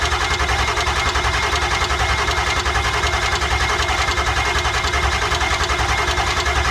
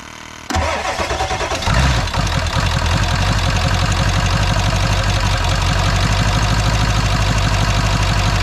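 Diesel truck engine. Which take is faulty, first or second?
first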